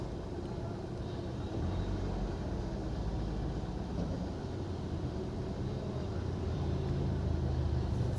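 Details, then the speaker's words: Honda City i-VTEC, cylinder 3 misfire (P0303) at idle now repaired, scanner shows no codes and zero misfires: soft even low hum with no stumble or skipped beats, quiet outdoor background; normal smooth idle. "ठीक है मिशिंग तो हमारी चली गई है perfect"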